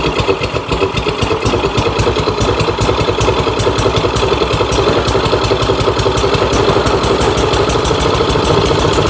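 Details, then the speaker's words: Troy-Bilt Storm 2410 snowblower engine, found at the dump, smoking, started on electric start: loud, uneven popping idle stumbles and surges; owner suspects it was run flooded with gas, washing out the rings. "is they probably ran it like this for a while with all that gas in it, and it's it's washed the rings out of the motor. I mean, it's smoking."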